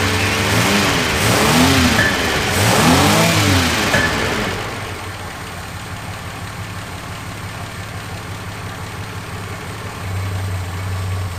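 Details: 1976 Ford Capri Ghia, carburetor after fixing fuel leaks, warming up (temperature gauge not working): a few revs rise and fall, then a smooth steady low idle with no knocks or stumbles; fuel system good, runs fairly well but vacuum systems not working, tune uncertain.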